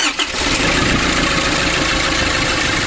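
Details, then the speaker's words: 2005 Nissan Urvan diesel after fixing the faulty pressure bolt on the fuel pump: catches on the first crank and settles straight into a steady, even idle with no stumbling. Normal start and idle, no leaks. "Now only one start, it will come on."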